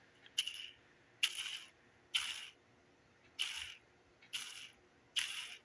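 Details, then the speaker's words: Cheap roller lifter for a 1973 Camaro LT1 build, spun by hand: dry, gritty rattle about once a second, inconsistent from spin to spin and noisier than the control lifters; rough roller bearing. "not too bad but it's not consistent and they're noisier than the other ones"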